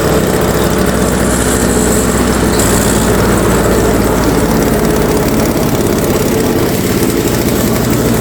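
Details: Toro Power Clear 21in single-stage snowblower, 141cc 4hp two-stroke, pull-started. After a first carb cleaning it drones loud and uneven, revs drifting up and down instead of holding governed speed; still surging, so the carb is torn down fully.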